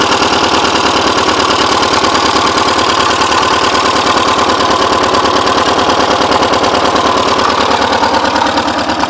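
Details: Porsche 944 just started after over ten years sitting; timing belt tensioner pulley fell off in 2005, bending all exhaust valves. Loud, uneven chuffing idle, about three pulses a second stumbling irregularly, smoking badly: rough misfire from bent valves.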